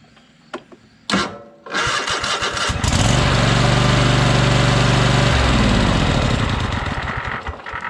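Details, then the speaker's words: Troy-Bilt Horse riding mower twin, no-power problem: runs hard and steady, then a whirring gear noise lingers as it shuts down, not normal; possible internal engine damage suspected. "you hear that gear sound as it shuts down that's not normal"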